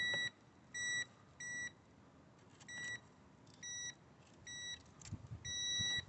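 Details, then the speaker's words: VW Golf with a no-crank, no-start fault, ignition on, fuse-box power supplies probed with a beeping tester. Short high beeps at uneven gaps, one per fuse, show power present at each supply. "So let's have a look. Yep. So the beep is indicating that it's working."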